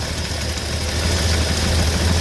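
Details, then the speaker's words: 1982 Ford F-150 with newly installed carburetor, after initial adjustments: low, lumpy, shaking idle; owner notes a vacuum line needing repair and two unconnected vacuum lines, cause unconfirmed; rough idle. "a lot of shaking there you can tell i do have this vacuum line to repair"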